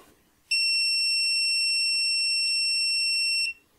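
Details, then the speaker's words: Brighter Bins LoRaWAN sensor after joining The Things Network v3: single shrill steady tone about three seconds (repeats ten times), meaning the first transmission failed. "and this repeats ten times i've shortened it for convenience this technically means that the device has failed its first transmission"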